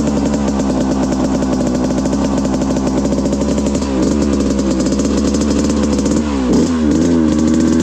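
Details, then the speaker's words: 1995 Suzuki RM125 two-stroke, freshly rebuilt, at 50 degrees, pilot jet possibly rich and jetting unfinished: steady buzz then stumbling and dipping twice as if hitting a limiter; bogs under throttle, cause unclear. "It's funny, it had like a rev limit around there. I don't know why it's got to run that bad. Didn't like that. Bogging real weird on me."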